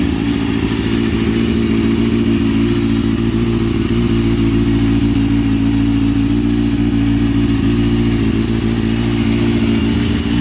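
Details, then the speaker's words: Motorcycle just fitted with a short stunt exhaust can, first start after front end swap and stunt chain conversion; firm, even engine beat through the loud short exhaust, no misfires or clatter, running really nice. "foreign get to be I mean I like it it runs it runs sounds it sounds like it's running really nice now"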